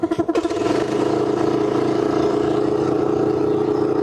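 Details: Graco LineLazer V 200HS line-marking sprayer's small single-cylinder engine, pull-started with choke engaged, catches with a few chuffs then settles into a steady, even high-revving drone with no knocks or misses; normal running before engaging the piston pump.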